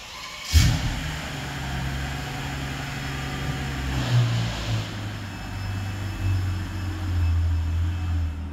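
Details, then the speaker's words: Mercedes CL65 AMG V12 under hard throttle after repair; deep, even engine note building steadily with no stumble or miss, smooth healthy pull; check engine light appeared shortly after. "all right it's running good it's running good super smooth V12 power right there"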